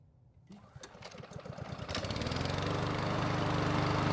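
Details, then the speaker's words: Ariens mower with a hot no-start problem, after long storage and carburetor work: it catches after a few pulls and settles into a steady, even run. "So it's been running for about 10 minutes and it should be at full temperature."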